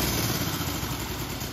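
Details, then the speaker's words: 1965 Honda CB77 Super Hawk twin, restored and started for only the second time with carbs not yet dialed in, idles at a steady, even 800 to 1,000 RPM putter; it dies when throttle is released, needing idle adjustment. "That's where we want it. We want it to idle right there. Around 800 to 1,000 RPMs."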